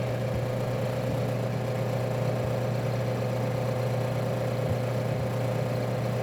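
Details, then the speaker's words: Refrigerator compressor with shorted winding: harsh low electrical hum and buzz with no normal running note, then thermal protector quickly cuts off; compressor must be replaced. "você viu esse barulho sabe esse eu não consigo nem reproduzir com a boca e rapidamente já desliga o de novo ouve são dois barulhos O primeiro é do curto em si o segundo do protetor térmico desligando"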